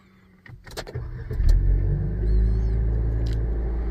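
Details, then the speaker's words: 2015 Nissan Juke F15 after no-crank starter problem, warm engine restarted repeatedly, quick clean crank catching within a second, steady idle; starter now working fine. "So everything is starter is working fine right now guys."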